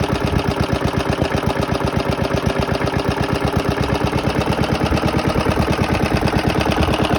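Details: Very worn 1972 Hayterette mower, hundreds of hours last year, cold start after six-seven months stored on old fuel topped with fresh: strong even firing beat at steady pace, no misses or knocks; hard to start but runs strong once going.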